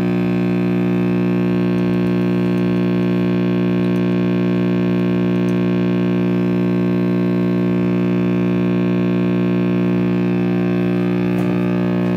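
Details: RCA Victor X551 vintage tube radio, first power-up after recapping and power cord rewiring: loud steady low buzz with even overtones; owner suspects the last-soldered 50/30 µF filter cap, possibly bad, or the cord rewiring.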